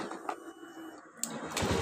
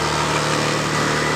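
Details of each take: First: Honda Beat ESP scooter that sputtered and died on throttle despite a roller replacement, after an ECU reset via the DLC socket. Quiet clicks, then it catches into an even, steady idle with no misfire or hunting: normal start and idle. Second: Honda Beat ESP scooter that sputters while riding despite a roller replacement elsewhere: on starting, the idle suddenly climbs and holds a steady fast idle with no throttle applied.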